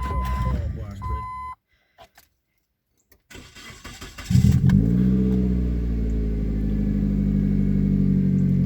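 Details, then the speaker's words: '99 Mazda Protege started after cleaning the MAF sensor, with the air filter recently cleaned: a chime, then several seconds of uneven cranking before it catches and settles to a steady idle. It took a while to start. Slow start, long crank. "did you hear it kind of it took a minute for it to start up"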